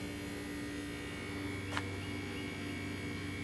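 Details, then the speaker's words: Residential HVAC unit, 82°F inside and 84°F outside, also 6.7 lb low on R-410A: compressor drones with a low steady electrical hum while the condenser fan won't run, traced to a bad capacitor that was replaced. "hear the compressor droning fans not run"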